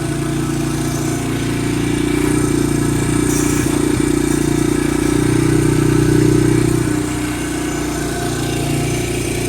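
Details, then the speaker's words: Vintage barn-find Honda dirt bike holding a fast, steady idle that never settles to a lazy beat; the idle is a little high. "Sounds like that idle's a little bit high."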